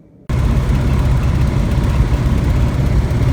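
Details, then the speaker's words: Van's RV-12 aircraft engine at annual inspection, cold, crossover tube removed: catches and settles into a deep, uneven, lumpy drone; rough idle attributed partly to cold and partly to the missing crossover tube. "And you can hear it. It's kind of rough. Now, it's partially rough because it's cold, and it's partially rough because of the crossover tube being removed."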